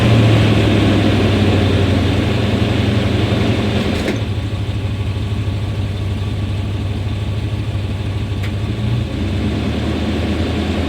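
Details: 1991 Chevrolet Suburban V2500 4x4, 5.7 L 350 V8, idling low and lumpy, sagging and stalling when put in gear; new distributor cap, rotor, ignition module, plug wires and fuel filter did not help; fixed by replacing the faulty ignition coil.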